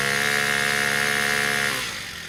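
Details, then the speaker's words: Honda four-stroke weed trimmer after carbon buildup was sanded off the spark plug tip, which was the cause of its no-spark no-start: steady, smooth high-speed buzz that winds down cleanly; running normally. "guys wow as you can see she start up right away so the problem was just little carbon build up on top of the spark plug"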